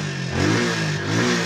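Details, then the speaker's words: Rusi motorcycle single-cylinder engine that would not run, after replacing the old black, oil/fuel-soaked spark plug with a new one: fires cleanly and blips up and down smoothly, no misses; normal running, spark plug was the problem. "it's alive. Alright boss, basic lang pala yung problema niya. Hindi naman masyadong malala."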